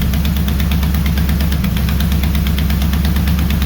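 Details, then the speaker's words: Mopar 400 big block for a 1964 Dodge Polara 500, on a run stand at first fire-up. A sharp, quick tick rides the lumpy V8 idle, keeping pace with the firing. The header is leaking because a stud sits in the header tube and the flange can't seal; the stud end needs cutting. "I bet I know why it's leaking, too. That stud is right in the header tube. See right here? So, it can't get fully sealed."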